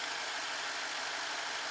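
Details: 2012 BMW 650, 4.4 L N63 twin-turbo V8, known-good cylinder reference at idle during warm-up with multi-strike ignition: even, steady hum with no knock or tick; normal idle.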